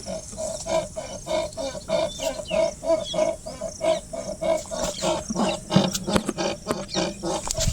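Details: Tata Nexon, fairly new, body rocked by hand to reproduce a rattle heard while driving over potholes: sharp squeaky rattle repeating about every two-thirds of a second, each push bringing a knock from the suspension.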